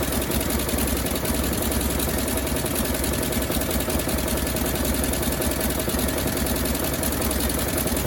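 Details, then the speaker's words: 1957 Chevrolet Bel Air engine after sitting 30 years, gravity-fed fuel: steady running with sharp ticking puff on each firing pulse; exhaust leak at manifold donut gasket. "we'll get this exhaust leak fixed down here looks like that donut is just trashed or it's leaking right there"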